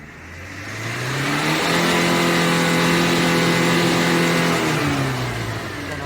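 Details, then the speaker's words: 2010 Tata Manza diesel after cleaning carbon (earlier low pickup, black smoke, code P0238), revved: revs climb smoothly, hold, and drop back evenly with no misfire, knock or smoke; normal healthy running. "So இப்ப அதெல்லாம் எந்த ஒரு ஸ்மோக்கும் கிடையாது நான் இப்ப உங்களுக்கு race பண்ணி காமிக்கிறேன் பாருங்க சோ எந்த ஸ்மோக்கும் இல்லை"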